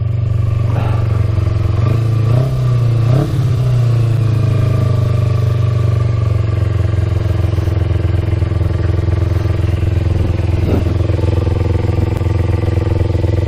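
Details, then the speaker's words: 2000 Kawasaki Ninja 250 with Yoshimura pipes, just started (finicky start button, fuel on reserve) and warming up before a ride: low even idle holding steady with a few light clatters on top; normal warm-up idle. "Sounds pretty good now."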